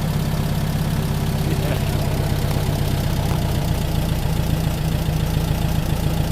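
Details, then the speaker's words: Rebuilt 40HP air-cooled VW flat-four from a 1962 Type 2 bus that sat over 40 years, first start: steady even low idle with no knocks or misses, coming back to idle nicely and running cool. Normal healthy idle. "it sounds good man sounds happy now it's coming back to idle real nice"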